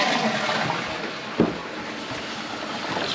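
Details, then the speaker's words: Saniflo macerator toilet unit after opening it up to clear a foreign object causing noise: clean rush of water through the flush with no grinding or straining from the pump; earlier noise gone, operating normally. "so much better perfect [Music] it's exactly what we wanted to hear so as you can tell from earlier on that noise was gone"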